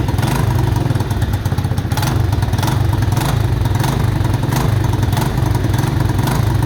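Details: Mojave 250, year unknown, after timing chain replacement (old chain loose, jumping time): loud uneven running with sharp exhaust pops about half-second apart, heavy smoke, backfiring; owners suspect it's out of time.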